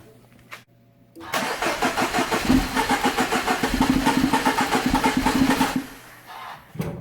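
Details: Mini Cooper Countryman: about four even starter-cranking beats a second with no catch or firing. Crank-no-start caused by a timing chain that jumped a cog, likely from oil starvation.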